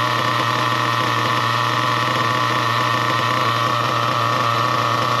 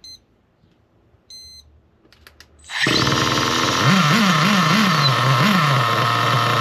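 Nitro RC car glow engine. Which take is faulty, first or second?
second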